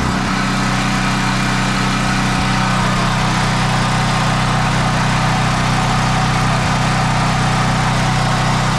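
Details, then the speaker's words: Newly installed HAUSMANN 3800 W portable generator, first test run after wiring a 30 A double-throw switch: a steady, even drone settling to a constant speed, smooth with no knocks or misses; normal running. "Paandarin natin boss. Standby lang mga boss, paandarin ko yung generator."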